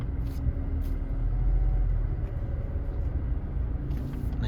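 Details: 2018 Honda Civic whose brakes made noise on every pedal press from surface rust on the brake disc. On the road test after the disc was resurfaced and reinstalled, only a steady low road rumble is heard while slowing, with no squeal or grind: brakes quiet.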